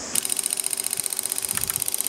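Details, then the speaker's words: Lens-assisted generator pulse motor now switched by a fixed reed switch instead of a transistor, two magnets removed and 8 V less supply: rapid even relay clicking at about twenty per second over a steady high buzz. "as you can hear the little ra relays clicking along nicely won't have to do any RPM testing today because you'll hear that start click faster anyway"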